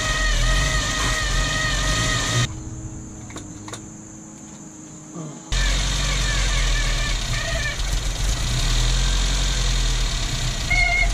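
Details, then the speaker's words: 1972 Datsun 1200 coupe restarted after a long sit, with the fan belt tightened: a high, steady whirring whine over the idle that stops when the engine cuts and returns on restart. Owner suspects the alternator or water pump; coolant leaking. "i think it's a uh alternator problem or a water pump problem that's making that horrible horrible horrible noise"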